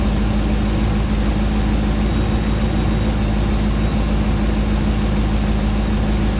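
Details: Rebuilt 2009 Hemi 1500 V8 warming after first start: smooth, constant deep idle with a faint steady hum, no ticking or stumbling; about 87 psi oil pressure, no longer jerking.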